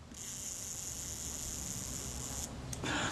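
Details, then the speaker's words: Kodak Retina IIa camera shutter during strip-down service, gear train checked by lifting the pallet after cleaning the blade actuating ring: short even whirr runs down promptly and smoothly, no catching; normal run-down. "I'll just check the action of the gear train if we lift the pallet slightly hit certain he runs down promptly and smoothly"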